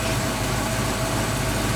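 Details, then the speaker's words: 1968 Mustang V8 on its first run after distributor/spark troubleshooting: a smooth, steady low burble with an even beat and no misses or knocks, apart from a loose belt to tighten. Normal idle. "listen to it it's purring aside from the belt I can tighten that up where in business"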